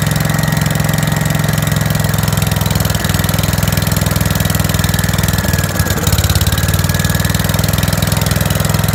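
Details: 5665 that was leaking gas out the carb, test run after carb work using starting fluid to start it; lumpy uneven idle with a stumble midway, running way too rich, choke tweaked while adjusting the main jet.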